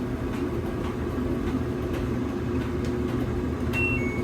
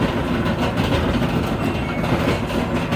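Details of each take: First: LG dryer DLGX7188WM after replacing the drum rollers that caused squeaking and loud thumping: steady, even low rumble with no squeak or banging; normal dryer running. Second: LG dryer model DLGX7188WM: loud rapid rhythmic thumping from the tumbling drum, caused by worn drum rollers/roller bearings; fix is replacing the rollers.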